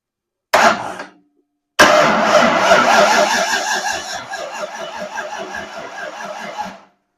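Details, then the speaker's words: 302 V8, random plug on cylinder one showing spark, ignition wire held to battery: starter churns slowly at about three sluggish compression beats a second with no catch; weak battery, compression sounds present. "Okay, starter's not spinning very fast, but it was sparking. I was on the number one plug. So we got spark. Sure sounds like we got compression. We got a weak battery."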